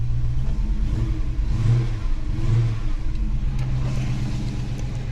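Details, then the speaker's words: Holden HK V8 after new valley fitted: deep rumble blipped, idle uneven and lumpy between revs, running rough; owner suspects air sucked through a goop-sealed gap but doubts it. "and so it could be sucking air through there i'm gonna be surprised if it is and that's why she's running a bit rough as well"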